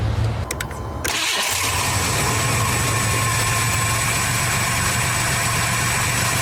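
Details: Car starting with newly installed Odyssey AGM2 TPPL 12V battery: short crank, quick catch, smooth steady idle, no misses; charging about 14.3 V afterward, healthy cold start.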